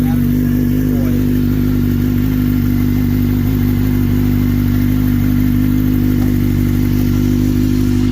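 The bike holds a steady, even idle with a smooth exhaust note and no stumbles or clatter; it is running right.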